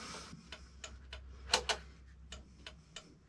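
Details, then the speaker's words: Vevor drain cleaner machine with power connected and reset pressed: quiet, sharp clicks at the motor about every third of a second when the pedal is pressed, but no motor hum and the drum won't spin, in forward, neutral or reverse; cable not locked up. "The motor died. It's clicking. I'm having an issue with this drum spinning. It's got power connected to it. It's not coming on."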